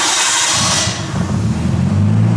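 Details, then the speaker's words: Low-kilometre barn-find R32 Skyline restoration with new in-tank fuel pump and new fuel lines, first start: cranks, catches within a second and settles into an even, steady purr with no misses; healthy start and idle. "pump this thing freaking purs that is crazy and since it's running that means we can actually put it in drive and see if this thing will move forwards and backwards under its own power"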